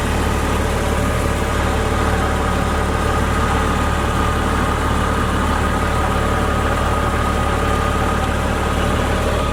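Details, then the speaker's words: 2001 Jeep Cherokee Sport 4WD engine idling: quiet steady low rumble, no ticking, knocking or puffing; headers and header gaskets quiet, no oil leak, original front clip; muffler has a small hole said to be inaudible. "So as you can hear, the engine is very quiet. Headers are quiet, header gaskets are quiet, there's no oil leak."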